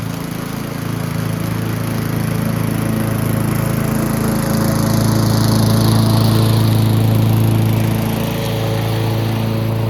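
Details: Yard Machines (MTD) 22" High Wheeler push mower, 4HP Quattro Briggs & Stratton, after all found issues corrected: even, steady putter holding speed while cutting grass, only slight dip under load; running healthy.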